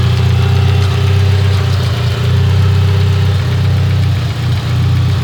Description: This is what it sounds like on the following start up next day. Stalled twice before and now it doesn't run properly at all with this terrible noise that sounds like it's coming from the head.